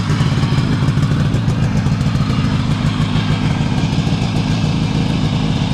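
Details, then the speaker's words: Adler MB250 two-stroke after dynamo fix, before first road outing in many years: even, rapid idle beat with no misfires or knocking outdoors; charge/ignition light off while running, dynamo charging. "As you can see, engine running, charge light or ignition light is off."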